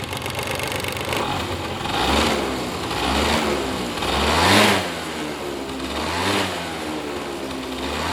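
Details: Honda Dio AF18 scooter, brought in for no-start, now starts: rough rattly mechanical clatter on each rev blip; abnormal noise from engine, drivetrain also suspected.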